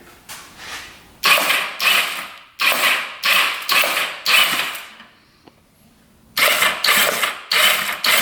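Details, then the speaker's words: Non-running 1988 Kawasaki Ninja EX500 twin-cam 8-valve, cranked with spark plugs out after liquid was put into the plug holes: short bursts of fast, free whirring, no firing; normal cranking, and spark was then found on both plugs. "all right let's turn this on crank it over a couple times here"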